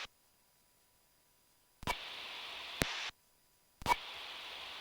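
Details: Cessna 1560 Kilo in flight near Burlington WI, radio transmission: steady hiss switching in and out in one-second bursts with clicks at each edge; intermittent radio static, cause unconfirmed.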